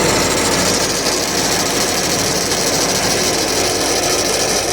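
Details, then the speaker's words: C5 Corvette at idle, heard up close to the belt: a constant harsh rasping chatter from the belt tensioner. "So, what's important here is the type of noise instead of necessarily diagnosing specific noises. So again, I'm going to let you listen for a minute. So in this case, the noise is coming from the belt tensioner."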